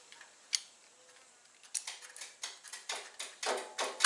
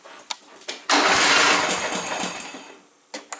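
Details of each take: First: John Deere Sabre lawn mower after blown fuse replaced and bad new key switch swapped back to the old one: clicks turn into quickening cranking strokes, then catches and runs at a steady buzz; starting circuit works. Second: John Deere Sabre lawn mower, choke on, hard starting persisting after valve lash adjustment: brief cranking burst sputters and fades without catching; owner suspects fuel flow and plans shortening the fuel line, else carburetor bowl work.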